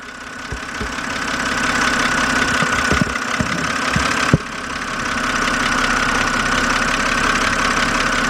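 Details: 2007 BMW 328xi engine ticking at idle, fast light ticks about three per second from the top of the engine, heard close up through a stethoscope; lifters suspected but not confirmed.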